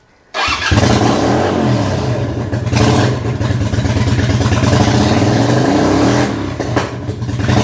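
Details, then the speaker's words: Suzuki VL250 Intruder bobber with the airbox and air valve removed, Mikuni 48mm velocity stack and 12mm breather fitted, not yet rejetted: revs climb rough and uneven, then stumble and die at about half throttle. Running too lean. "So you can hear it dies at about half throttle, so it is absolutely too lean, which is absolutely no surprise because we've taken the airbox off."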